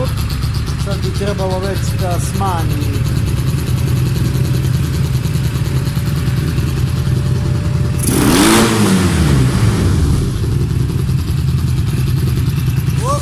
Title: Super Tenere 1991 xtz750 First start after complete engine rebuild